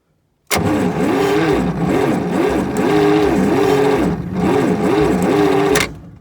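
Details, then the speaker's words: John Deere 55, sitting about 10 years, new plug wires fitted and spark confirmed: starter churns the engine over about five seconds with rising and falling compression rhythm but never catches; cranking, no start. "so it sounds like there's some compression sounds like there is obviously there's some spark"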